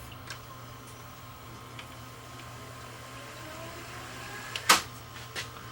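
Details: Hitachi DV-PF74 VCR that squeaked loudly playing tape, after cleaning heads and guides: quiet, even motor whir with a faint rising tone as the reels speed up, then a clunk at the stop; fast forward runs normally.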